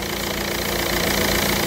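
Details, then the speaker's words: 2007 Ford Fiesta 1.4 diesel at 181,276 km after a full service, including timing belt set, fuel filter and antifreeze. Even diesel clatter at a steady idle with no misses or knocks; the engine runs healthy. "Arkadaşlar bu yaklaştırıyor motorun sesini dinleyin araba güzel oldu değil mi mi"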